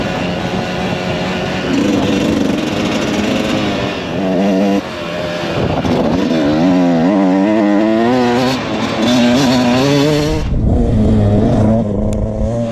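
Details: Refreshed 1999 Kawasaki KX125 two-stroke, ridden: ringing blips and revs up and down under load, crisp pickup into the power band, no misfire, knock or rattle.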